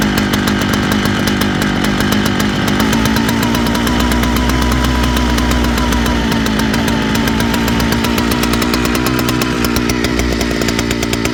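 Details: Big Jonsereds chainsaw buzzing with speed wandering up and down, hunting; owner suspects fuel line or seals (carb kit) needed; surging, uneven running.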